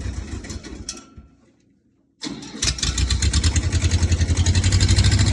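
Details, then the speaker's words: Ford diesel tractor kept outside in prolonged cold, warmed overnight by a wood stove, glow plug used: cranking fades, then uneven chuffing settling to a rough steady beat near three per second; hard start, gelled diesel suspected. "okay we have been having some trouble getting this tractor started I think the diesel might have gelled up in there"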